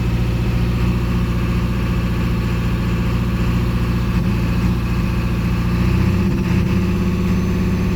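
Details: Ford 7.3L diesel with E4OD transmission idling with misfire while code P1748 is not present; steady clatter with uneven, lumpy beat that drops out irregularly, like a cylinder intermittently not firing.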